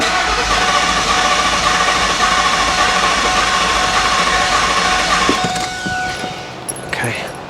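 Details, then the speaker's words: 2002 Ford SVT Lightning V8 with newly built engine and misfire, cranked with fuel pump relay removed: slightly lopsided starter rhythm. Relative compression test shows low compression on cylinder 7, an internal engine issue. "as you can see right here we're broken okay we have an internal engine issue here we have a compression issue here not cool"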